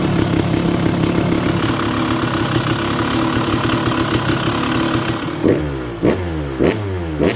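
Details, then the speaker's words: Freshly restored Kawasaki KX250 two-stroke with sleeved cylinder, first start with the idle screw way out: crisp crackle holding a steady idle, then four sharp throttle blips rising and dropping back cleanly; normal idle and revving. "Oh, we did. The idle screw's way out. Woo, I was nervous there, man. >> [laughter] >> Sounds good, though."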